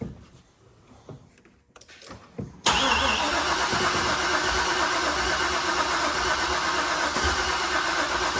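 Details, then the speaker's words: Car after resealing the rear cover with a centering tool; fuel pump ground reconnected, pump now runs: steady, even cranking churn with no catch or idle, the engine turns over but won't fire, though fuel pressure builds and there are no leaks. "Hook that up, you hit the button, you hear the fuel pump running, but it won't start now."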